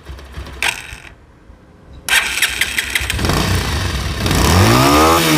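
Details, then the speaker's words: Pulsar motorcycle after a new gearbox was installed. The starter whirrs, then the engine catches and revs cleanly with an even beat and no grinding or knocking; the sound is hoped to be much better than before the repair. "সাউন্ডটা আশা করি আগের থেকে অনেক ভালো হয়ে গেছে।"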